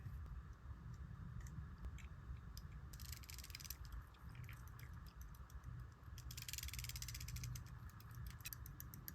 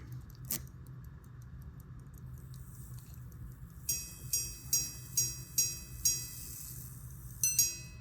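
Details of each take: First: Early-1800s verge fusee quarter-repeater pocket watch after fitting a replacement hairspring. Very light, rapid ticking, far faster than normal. The balance is racing because the weaker spring is much too short, and a longer spring is needed. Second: About-1820 verge fusee quarter-repeater pocket watch, after adjusting the hammer depth lever; seven clean bell strikes about two per second, fading evenly: normal repeater chime.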